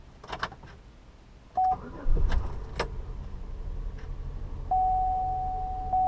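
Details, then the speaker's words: 2002 Chevy Impala V6 police clone, ex-fleet car, 200,245 miles: short crank catches into a low, steady idle with no misses or knocks, chime tone over it; runs great, idle very smooth, engine sounds healthy. "runs great idle's very smooth"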